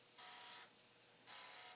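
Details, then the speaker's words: Commodore 1541 disk drive after read/write head cleaning, running the check-disk test: two half-second bursts of dry, hissy mechanical chatter; occasional extra noise not from the head, cause unknown. "It's some noisy. Not the head. But once in a while, it's just making some extra noise."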